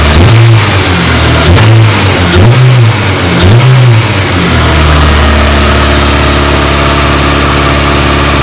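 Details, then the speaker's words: Honda Civic EM1 after an engine install, started cold on a freezing day. It runs in open loop all the time and the check engine light is missing. After throttle blips the idle settles smooth and slowly climbs: a normal cold idle. A slight fuel return line leak was found. "it should be idling up right now to get it into closed loop, and it's idling like at a your normal like idle, but it sounds like it's coming up right now, so."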